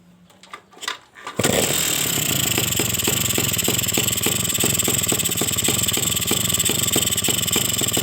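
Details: Suzuki RC two-stroke motorcycle after a rebuild with new piston and rings, run gently while the new piston and liner bed in, following overheating, weak power, rattle and no compression: crisp steady buzz, running cleanly.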